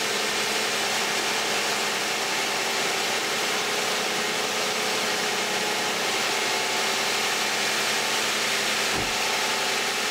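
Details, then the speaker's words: 2010 Toyota Camry, 2GR-FE 3.5 V6, 152,000 miles, on Mobil 1 5W-30, cold start and idle: a steady, even hum with busy top-end clatter, no misses or knocks; a healthy engine. "This is going to be the cold start of a 2010 Toyota Camry V6 3.5 with 152,000 miles, and let's see how it sounds."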